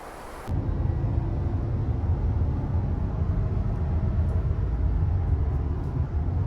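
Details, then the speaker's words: 2019 Subaru WRX STI, driving above 60 mph on highway: constant low buzzing drone under road noise, pitch rising with speed, apparently from the rear; wheel bearing drone, bearing later replaced. "so you can hear that buzzing drone happens as soon as I get above 60 miles an hour and it's most likely a wheel bearing"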